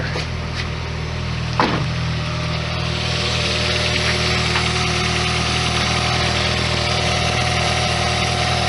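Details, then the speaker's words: 1991 Lotus Elan first start after cooling-system repairs (new heater valve, new radiator drain plug, fresh antifreeze): a steady, even idle with a smooth low hum and no stumbles or misses. It runs cleanly on all four cylinders. "Hey, I think that's actually all 4 of them. Fantastic."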